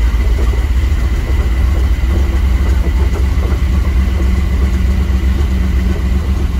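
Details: 1987 Powerplay XLT-185 boat, Mercruiser 350 V8 with Holley Sniper EFI replacing the Quadrajet carb, fuel pump reaching 60 psi, not yet warmed up: deep, steady V8 burble with a loping beat, no knocks or rattles; healthy idle.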